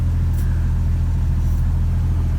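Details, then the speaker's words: 1999 Jeep Cherokee XJ 4.0 inline-six at normal operating temperature, idling around 725 rpm after new Champion Copper Plus plugs, cap, rotor and wires at 60,000 miles: smooth, steady deep hum, no misfire or ticking; normal idle. "Idling, it's like around the 725 range, I guess. Lower, sounds good."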